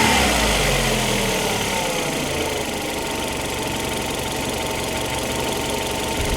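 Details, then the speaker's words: Opel Antara engine, warmed up, before an RVS G4 additive test: steady idle with a faint rapid chirping tick, about four a second, over the engine hum. The cause of the engine noise at idle is not identified. "Mä luulen, että tää kone alkaa olla aika hyvin nyt lämmitetty, niin täältä se kuulostaa lämpimänä. Siellä se sirkuttaa."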